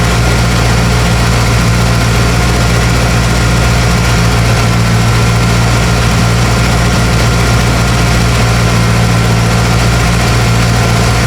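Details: 1995 Ford F250 (OBS) first fire-up, radiator freshly filled with antifreeze, air inlet box not fitted: deep, steady idle with an even, smooth beat and no knocks or misses; the freshly started engine sounds healthy.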